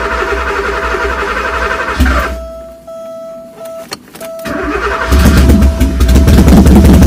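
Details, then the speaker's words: Porsche 928 V8 with open headers, unstarted 15+ years, after fixing crank position sensor connector; loud rumbling start, drops away briefly, catches again and revs strongly, fluid still leaking at pump fitting; now running normally. "oh I guess that means the reason it hasn't been running was position sensor connector"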